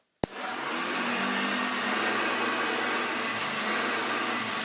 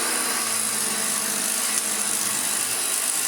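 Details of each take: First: Hoover Junior 1334A vacuum cleaner motor after a full rebuild that cured an awful-sounding motor, with new brush strips and a replaced fan: clean, steady high whine with no rattle or bearing growl. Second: Refurbished Hoover Junior 1334A upright vacuum with new rear motor bearing, running: steady high motor whine with light fast ticking rattle from loose brush roll, which may subside as it wears in; owner tries wedging something beside it.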